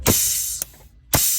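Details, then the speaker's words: Freightliner DD15 with the engine fan running permanently, ignition on and connector wiggled: three sharp air bursts in under two seconds as the fan clutch solenoid valve engages and disengages because the plug pins short inside; temporary fix is tightening the pins. "Dacă dă drumul la aer valva, ignition on, atunci el face short chiar aici, în interior la plug. Cam în felul următor trebuie să se audă."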